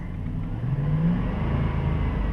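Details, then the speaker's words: 2007 Dodge Durango after replacing the serpentine-belt idler wheel: engine revved with only a low smooth note, the RPM-rising whine gone, confirming the idler wheel as the source. "let's rev it up and it's gone i don't hear it anymore so that idler wheel is definitely the source of that noise"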